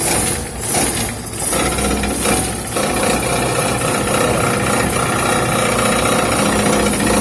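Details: Buzzing metallic rattle and vibration under the running car after it hit something on a dirt road; the dented oil pan skid plate is touching the exhaust.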